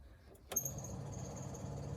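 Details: Triumph TR7 during restoration, electrics being checked before first start: a click at switch-on, then a steady, even wiper motor hum with a faint high whir, no grinding or labouring; wiper motor running normally.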